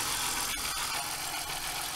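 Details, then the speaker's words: BMW E46 323i, freshly reassembled M52B25 inline-six, not yet road-driven, throttle body still uncleaned, camera mic: steady, even idle hum with smooth airy whir and no knocks, ticks or misses; owner says it runs great, normal idle. "Si běhá to úplně superově. Ten zvuk je úplně super."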